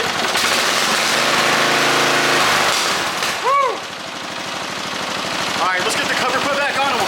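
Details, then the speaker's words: 1988 Briggs & Stratton I/C 12 HP flathead single in a John Deere 111, just started after replacing the starter gear and drive, shroud off: slow, even low-idle thumps about three per second, no grinding; runs healthy. "check this out guys this old motor runs really sweet look how low it can idle I just started it up"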